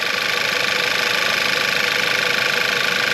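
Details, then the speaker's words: VW Eos first start after engine and transmission reinstalled following nearly 3 months apart, fuel system primed: quick, even idle with a fast steady patter and a bright hiss on top, no knocks, rattles or leaks; normal idle. "oh my god oh my God oh it sounds good nothing all right nothing leaking out the bottom"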